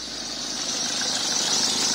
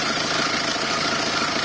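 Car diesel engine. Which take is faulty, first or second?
first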